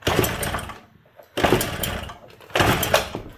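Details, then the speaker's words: 1979 Suzuki JR50 two-stroke minibike, long-sitting, in neutral with spark confirmed: three kicks about a second apart, each giving short pops that die away. Fails to start but tries; compression reading possibly inaccurate. "Can you hear it? It's trying. Yeah, we get a couple pops."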